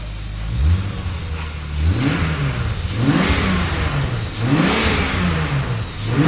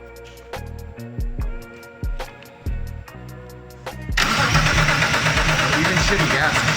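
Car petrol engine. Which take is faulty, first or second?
second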